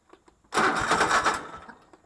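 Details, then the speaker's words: Cub Cadet LT1046 mower, restarted after plugs cleaned, owner reports it runs rough: catches with a brief sputtering burst then fades out within about a second; engine stalls after starting. "but it started up good to start with or to begin with and then petered out"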